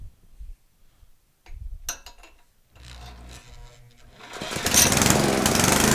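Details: Gasoline generator engine after valve lapping and carbon cleaning to fix no compression: after handling noise it catches and settles into an even, steady running note under load with no misses; compression restored, running normally.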